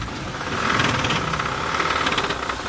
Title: من اين هذا الصوت في محرك السيارة - d'où vient ce bruit moteur